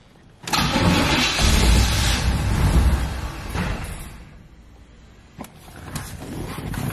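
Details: C4 Corvette after new spark plugs and distributor cap: engine catches and settles to idle with a light tick about three times a second; source not traced. Cause unconfirmed.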